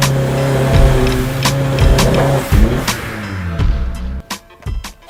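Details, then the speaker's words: Turbocharged Honda S2000 on the dyno under load after removing an exhaust restrictor, air-fuel ratio looks right: revs climb with sharp pops and stumbles breaking up the pull; misfire from spark plugs failing under high cylinder pressure, fixed with higher heat range plugs. "The air fuel looks right, it's just misfiring."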